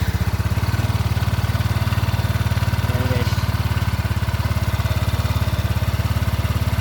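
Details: Yamaha NMAX v1 fuel-injected scooter, after fitting a new spark plug and fuel-injection plug cap: steady, even low thump at idle with no stumble or cut-out; idling cleanly.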